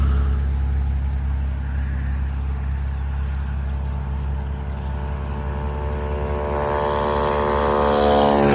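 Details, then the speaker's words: Honda Trail 125 (CT125) rebuilt with a 164cc big bore piston and cylinder and a bigger fuel injector, warming up before break-in: smooth, even single-cylinder idle with a steady beat, then a clean rise in revs; normal. "Sounds fine. Nice and smooth, no problem. I'll let this idle for about 5 minutes, just getting it all warmed up."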